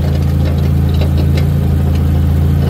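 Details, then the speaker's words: Renault Clio 3 RS after fitting a stainless GT Performance exhaust line, idling: faint uneven rattle over deep exhaust drone; the pre-catalytic converter is broken, needing repair or manifold replacement. "il fait du bruit c'est le pré cata et ben il est mort"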